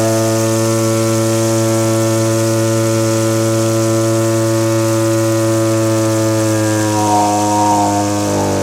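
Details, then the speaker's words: Small two-stroke (Stihl BG50 blower or Echo powerhead trimmer) after new fuel lines, ethanol-fuel water contamination: steady buzz that shifts and roughens, smoking too much; carburetor set too rich (four-stroking), to be leaned out but not to max speed. "The setting I have right now, it's two-stroking quite a bit. I want a more lean mix."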